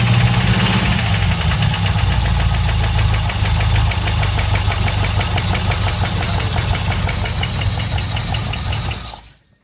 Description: footage of engine running with bad noises